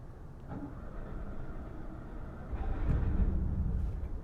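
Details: 2015 Winnebago RV bought salvage-titled as stripped, first start attempt: slow, uneven starter churning with a brief low surge that nearly catches, then dies back; the engine cranks but won't start.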